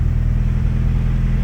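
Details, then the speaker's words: Turbo B20-swapped Honda Civic idling after fixing a wastegate that leaked for about a year (missing collar, had been patched with JB Weld): low, steady, even idle with a smooth pulse, no hiss or puffing from the dump; much quieter, healthy. "that's how it should be wow yeah that's much quieter so now there's nothing blown out of our dump there at idle"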